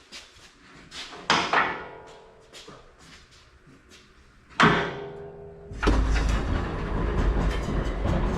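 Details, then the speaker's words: Vintage Mopar cruiser with HEMI V8, very first start after fitting a new Fresh brand 2-chamber welded muffler: a couple of clunks and short crank, then a deep steady rumbling idle; sounds healthy. "Very first start with this. It's a Fresh brand 2-chamber welded muffler."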